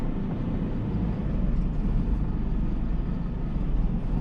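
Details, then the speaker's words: Heavy lorry with a 4-over-4 eight-speed gearbox, pulling away uphill from a roundabout in 4th gear: deep, laboured diesel drone low on revs; the engine is lugging in too high a gear. "she can hear it's really really really struggling in forth"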